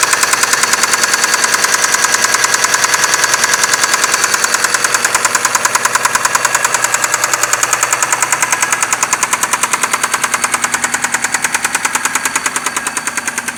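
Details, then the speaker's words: 6A13 engine at night, started with difficulty; loud, sharp, very regular knock at about 200 per minute over the idle, present from startup, loudest between the heads; oil pressure lamp off, no misfire or vibration; cause unknown. "Стучала сразу. Очень сильно. Вот такой противный стук. Больше всего стучит между головками."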